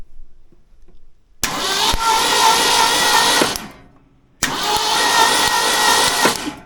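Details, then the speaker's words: Old Ford bumpside F100, engine being revived, plug out for a spark check: two steady cranking bursts of about two seconds, even starter whir with no catch; normal cranking, spark present. "I don't know, I can't see it, but I can hear it. Yep. Alright, so it looks like it's working. So I do have spark."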